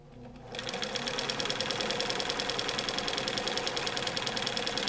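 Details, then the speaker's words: Overhauled 1965-era Bernina 730 Record free-arm sewing machine with double belt/pulley drive, straight stitch at zero width: crisp even ticking about three per second, steady like a clock, the signature Bernina sound of a machine running well; normal. "Uh and as you can tell, it has that wonderful Bernina sound. Uh every sewing machine has a certain signature sound that it should make when it's running well. And this Bernina has has the Bernina sound."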